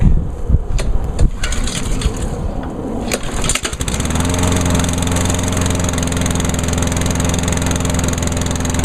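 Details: 2003 Craftsman 21-inch steel-deck push mower with a Honda GCV160 overhead-cam engine, started on choke at season start-up; a few cord pulls, it catches about four seconds in and settles into a steady, even run. Healthy.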